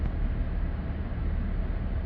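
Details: 2020 Chevy Blazer 3.6L V6 AWD after the coolant temperature sensor was replaced with an OEM sensor and the negative battery terminal was disconnected to clear codes: low, even, steady idle at 200° operating temperature with AC on, no misses, knocks or surging; normal idle.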